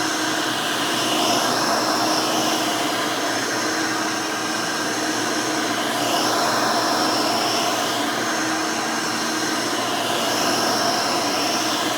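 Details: Hoover Elite 600 upright vacuum rebuilt with a new 7 amp motor and a retrofit 20-blade fan from 12 amp models: smooth, steady whir with no grinding or rattling; runs smooth, fairly quiet, almost like the original 6 amp; healthy.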